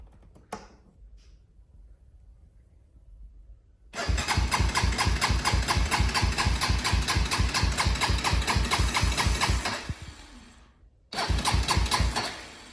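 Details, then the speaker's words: Honda 400EX quad that died on the trail: steady cranking about two strokes a second, two bursts, no firing; cranks but won't start, owner about to check spark. "Yeah, it does not sound good. I'm gonna just get a spare plug and see if it has spark real quick."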